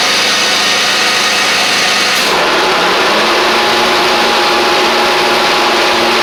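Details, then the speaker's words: John Deere X350 riding mower, 48in deck, after full service with new blades and deck belts: blades spin up to a steady high whir then an even smooth hum, no knocking or squeal; normal deck running, sounds better now. "Just wanted to make sure. It sounds like it's doing better now. May have just been where I took them off and did all that good stuff."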